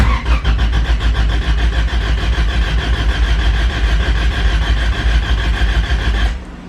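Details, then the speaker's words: Honda Civic with B20 VTEC engine, distributor unplugged but fuel pump and injectors active, cranked to build oil pressure during dyno prep: even starter chugging at about three pulses a second for six seconds, no firing; normal cranking. "I unplug the distributor I am going to I'm going to build oil pressure so I'm going to leave the pump running and everything injector activating so if it floods it floods"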